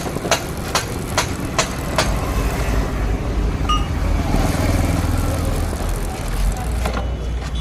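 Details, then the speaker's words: XL 100 rear drum brake after repair (drum cleaned and smoothed): few light clicks, steady low engine rumble, no scrape, squeal or rub; brake now quiet. "మొత్తం fit చేసిన తర్వాత మనకి ఆ sound వస్తుందా లేదా మీరైతే గమనించండి ఫ్రెండ్స్."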